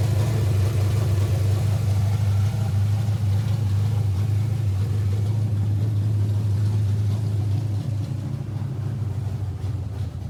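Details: Kyle Petty V8 race car firing up in the shop after the distributor hot-wire electrical fault was found, with new chassis headers and exhaust installed; deep, steady rumble with no misses. Some voltage drop remains when cranking. Normal running.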